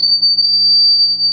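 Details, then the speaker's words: Fryette Power Station amp combo with the guitar held close to it; a piercing, steady whistle around 4–5 kHz, feedback squeal from the guitar picking up the nearby amp. "when they get their guitar close to their power station amp combo that they get this sort of squeal happening that sounds like this"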